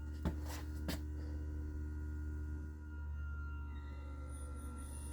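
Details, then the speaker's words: 2009 Monaco Dynasty RV, HWH hydraulic slide pump under the front step, driver's side slide run out: high whistle over a low pump hum as the slide bottoms out, relief valve bypassing at full pressure, pressure equalized, normal. "all right so with that whistle now we've uh made sure that all the pressure is equalized"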